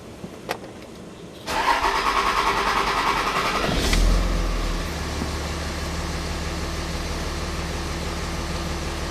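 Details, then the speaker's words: 2006 Dodge Ram Cummins diesel: starter churns a couple of seconds before catching, surging, then settling to steady idle; long crank from low rail pressure, high-pressure rail sensor reading under 0.75–0.8 V during crank. "so if during crank you're not getting your point seven five point eight volts out of your high-pressure rail sensor they're not getting enough fuel pressure"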